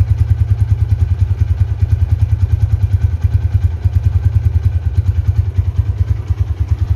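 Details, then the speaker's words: 2011 Tiger Revolution, 10,000 km: steady low idle thrum about three pulses a second, no ticking or clatter; smooth normal idle. "kalau yang masih nyes KM rendah seperti baru itu kayak gini teman-teman di mesin gak ada suara apapun super halus banget"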